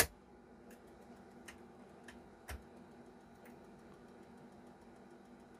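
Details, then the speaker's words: Famicom Disk System drive loading the B side of a floppy disk: faint, sharp ticks at irregular half-second to one-second gaps over a quiet hiss, a new ticking noise not heard before; the cause is unclear, and the game still loads. "yeah there's like a noise there's like a little ticking noise coming from the disk drive that wasn't there before"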